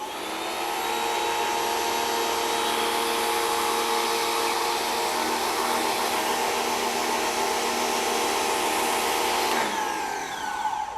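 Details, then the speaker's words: WEN 2000psi 1.6gpm electric pressure washer spraying soap: steady high motor whine holds, then pitch sags as load comes on; motor straining and bogging under load. "it almost seems to want to bog down a little bit that actually performed better than the first time"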